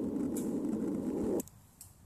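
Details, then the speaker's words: Underground water line leak under a gravel driveway, with nitrogen gas used to amplify the sound and located with a ground probe: a steady low rushing hiss that pegs the meter at the leak spot. "as he gets closer to the leak the intensity of the leak sound increases as you can tell on our meter here it pegs all the way to the top that that's how we know yeah we're right on the leak"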